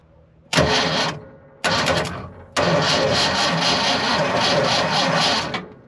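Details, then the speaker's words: 1978 Ford F100 with Ford 300 inline six, cranked by bridging the starter solenoid: three cranking bursts, steady rhythm but never fires; no start because plug and coil wires are missing. "Nope. I don't think she's going to start."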